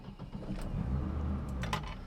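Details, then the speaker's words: 1977 BMW 320i (E21), just started: uneven hunting revs that rise and sag without settling; struggling to find idle, and pressing the brake pedal makes the engine rev; cause not identified. "now again it's having a bit of a issue with finding its Idol also for some reason the uh brake pedal when you press the brakes it makes the engine rev for some reason"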